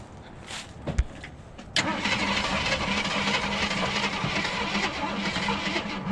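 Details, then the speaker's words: Jeep abandoned 24 years, restarting after a test drive: the starter clicks, then turns over in a sluggish, labored rhythm before catching; a weak battery is suspected for the slow cranking. "Ugh, battery's not gonna do it. That battery doesn't like that."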